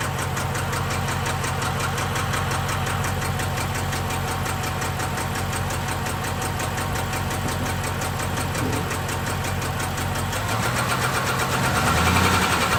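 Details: 6.1L SRT8 HEMI V8 with random cylinder misfire: uneven, stumbling idle with steady light ticking; cause not yet found.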